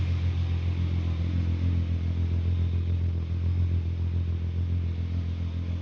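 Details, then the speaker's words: Volkswagen Golf MK3 VR6 after new silicone coolant hoses, an oil cooler leak repair and an oil change, idling while warming up to bleed air from the cooling system; deep, steady, even rumble, no knocks or misses; normal idle. "She's running pretty good."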